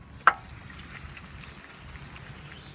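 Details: 2005 Toyota Prius hybrid pulling away from a stop after about a mile of driving: one sharp click/clunk, begun after the passenger front CV axle was replaced; a second axle didn't help, cause unknown.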